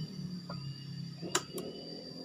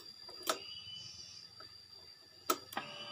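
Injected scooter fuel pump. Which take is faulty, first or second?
first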